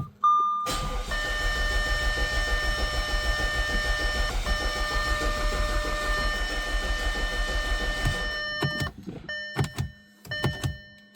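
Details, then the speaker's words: 2011 Audi A5 2.0T with P0016 code, oil pressure sender replaced by a gauge: steady starter cranking drags about seven and a half seconds without catching; suspects low oil pressure at startup upsets variable valve timing; long crank. "Like, it's causing the timing codes, it's causing the long crank. It's because the variable valve timing is controlled by oil pressure."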